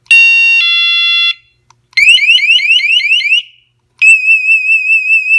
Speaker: But to show you, you have control over the type of tone that it makes, the volume that it makes, etc. And I'll just give you some examples right here.